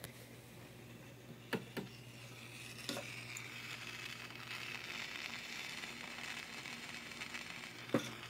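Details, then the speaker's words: Hallicrafters SX-110 receiver after a 6SK7 tube is fitted: soft speaker hiss, low hum and sharp random pops every second or two; crackling audio, source not yet found. "But then it's going to get real crackly. Back on. If I said 6K6, I meant 6SK7. You hear the crackling."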